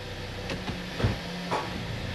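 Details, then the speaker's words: 2013 Ford Escape on a lift, customer complains of loud popping when shifting; idling, shifted into reverse: a few dull thuds as it drops into gear with the engine visibly shaking and rocking; failed torque mount, to be replaced. "oh and the whole thing's shaking let's see if we can hear [Music] that let's try it up here yep and I'm seeing it too"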